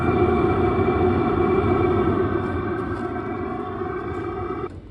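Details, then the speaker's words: VEVOR diesel heater installed in a 1977 GMC Eleganza motorhome, running with no muffler on a warm day of about 66 degrees. Steady droning hum, even until it drops off; the air intake is louder than the exhaust and the surrounding fiberglass stays cold. Running normally. "And the fiberglass is cold to the touch, so no worries there. And really, the air intake is louder than the exhaust."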